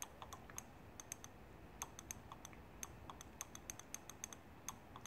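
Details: BMW S54 VANOS valve body solenoid being cleaned by filling it with brake cleaner while energized; sludge stopped the valves moving, causing codes. It gives quiet, sharp, irregular clicks that get crisper as it frees up: sticking VANOS solenoid valve.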